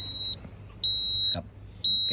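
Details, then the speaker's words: Factory CNG Toyota Altis, when switching to gas the gas controller gives repeated high electronic beeps and refuses to switch; gas ECU locked, fixed by remapping. "มันจะร้องแบบนี้นะครับอันนี้อาการก็คือกล่องแก๊สล็อคนะครับ"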